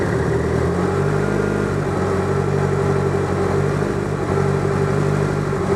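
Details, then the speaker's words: DSM on Haltech ECU after fitting The Harness Shop K-series coil-on-plug kit, no tune changes: even, settled idle with smooth low rumble, no misses or stumbles; normal idle. "You fire it up. You don't have to change anything on the tube."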